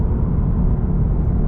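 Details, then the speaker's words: FRS/BRZ/86 with automatic engine converted to manual, equal-length headers, two resonators limiting drone, driving: deep steady exhaust rumble with no ticking or puffing from a leak; healthy engine and exhaust. "I very like this sound sport track sound that comes out of the exhaust with the equal length erors and I have two resonators so yeah it's it help a lot with the drones"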